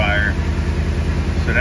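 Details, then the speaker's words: 2014 Ford E350 5.4L V8 at idle with misfire and injector-circuit-open codes (P0200–P0208, P0300, P0304, P0307, P0316): a deep, uneven idle with a lumpy beat. Power balance shows cylinder 7 is dead. "but if we have a dead misfire on seven that can generate a lot of additional problems"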